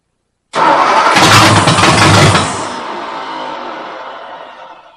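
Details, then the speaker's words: Ford 272 Y-block V8 first start, rebuilt Holley carburetor with bowls filled by hand from a soda bottle, no coolant: catches and revs under two seconds, then dies, unable to hold idle; fuel starvation, fuel pump still needed. "Guys, uh, we're having fuel delivery issues. I ain't got no gas."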